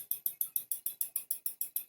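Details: Hyundai Accent with LPG system running on gas: sharp, even metallic ticking about six clicks a second from cylinder 1 gas injector knocking and leaking, silent when switched off, rich mixture on gas; repair or rail replacement and recalibration needed.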